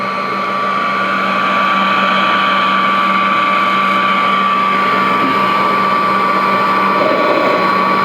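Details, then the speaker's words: Vintage Royal 153 vacuum, freshly oiled motor run with belt removed to let oil reach the bushings: smooth, steady high-pitched whine, no rattle or grinding; motor runs freely unloaded. "But this one, actually, I just oiled it, and so what I'm going to do is disconnect the belt, because what I want to do is keep any tension off that motor and let some oil get down in those bushings before I try to start it up. So let me let it run for a bit with no belt."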